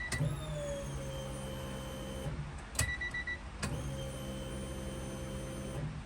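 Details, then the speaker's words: Electric fuel pump on a Honda Civic EG hatchback, checked during diagnosis of fuel starvation under hard acceleration, cornering and high rpm. Steady low hum with faint high whine, brief pause, same pitch; no leaks seen, pump sounds healthy. "Sounds nice and healthy. Sounds like it's running good."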